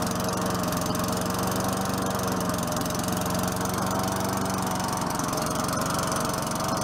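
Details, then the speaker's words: 4.5 HP Tecumseh Craftsman push mower after a new air filter, low on gas. Steady, even buzz at working speed with no surging or sputter; it sounds better now, normal running. "Oh better now it sounds good"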